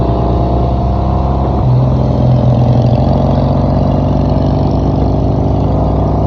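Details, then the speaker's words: Old-school BSA chopper on its first roadtrip: loud, steady low-pitched thump with even firing, running well; chain occasionally hits the oil tank bottom or inner primary case, front sprocket possibly worn. "I'd still like to paint the gas tank and fender. It It seems running pretty good, though."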